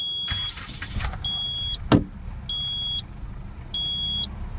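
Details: 1997 Nissan Sentra 1.6 first start after repair, with a new cam cover and seal, new plugs, wires and PCV valve, and rebuilt front calipers. A steady low idle rumble under the door chime, no knocks or ticks; it starts and settles evenly.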